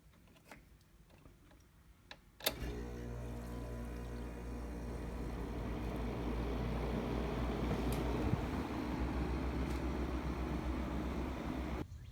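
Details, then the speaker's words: 1968 GE Fashionette 6000 window air conditioner, cleaned, fan motor lubricated, new filter foam, running on low cool: a click, then a low steady hum with even fan whoosh and no rattles; very quiet, quieter than a Porter Cool on low. Normal running. "is very quiet unload I was surprised it's much quieter than a porter cool on low setting"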